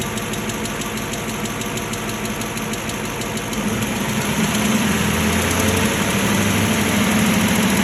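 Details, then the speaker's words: Low-mileage, one-owner Aston Martin 4.7 V8, just serviced at a franchise dealer, heard driving into the workshop: a deep knock about three times a second over the running engine. Big end bearing failure. "hi as the 47s can sometimes suffer this is Big M bearing failure just about to turn from this into this"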